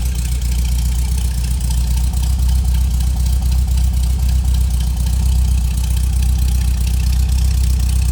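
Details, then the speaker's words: 1971 VW Super Beetle Convertible, air-cooled twin-port flat-four with a rebuilt carb, firing right up at a steady idle: a deep, even chug with no misses or knocks, sounding good. "This thing sounds good too. Nice, clean engine bay."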